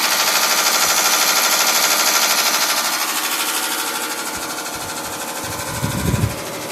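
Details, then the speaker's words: 1986 Carrier Siesta 6100 BTU window air conditioner running and blowing cold air. A fast, regular ticking of about three per second, lawnmower-like, as if something is caught inside. The lower radiator section rusted off its mount, so the fan blade rubs the shroud. "sounds like there's something caught inside of it it is blowing cold air all right sounds like a lawnmower"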